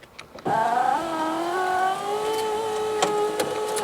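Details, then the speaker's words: 2014 Fiat 500L salvage car, driver's door electric window tested after reconnecting the battery: motor whirs through its travel with a scratchy drag on top; cause unconfirmed. "yeah yeah scrapey there for some reason oh you know what I wonder if that's"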